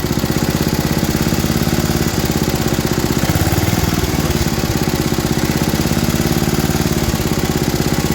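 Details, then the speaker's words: About 50-year-old MTD ride-on mower single-cylinder engine, burns oil, idling: fast even thumping dipping mid-clip; worn carb butterfly throttle shaft leaking unmetered air both sides, hunting idle from air leak. "Pull out on the shaft a bit. That's unmetered air going through both sides of this butterfly shaft. Revs up."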